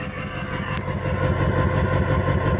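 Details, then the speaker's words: Ford 6.4 Powerstroke diesel at 280,000 miles after injector work, idling loud with uneven lumpy stumbling pulses like a steam engine; cylinder three was dumping too much fuel and smoking heavily, possible blow-by; cause of rough idle not yet pinned down. "I don't think it's supposed to sound like that foreign last thing I want to hear is that thing sounded like a freaking steam engine that ain't running right"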